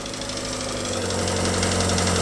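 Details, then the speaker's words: Small old four-cylinder 1950s car, started after sitting outside in damp weather, tappets previously adjusted; steady low idle with light ticking on top, still slightly tappety but better than before; owner suspects a small carburettor blockage. "I mean, there's still a little bit tappety. It's better than it was."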